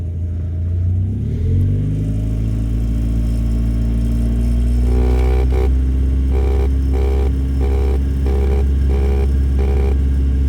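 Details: 1991 Mazda MX-5 first edition: engine revs up and holds a steady drone with no dashboard rattle while two lines behind the dash are held together by hand; music plays over it.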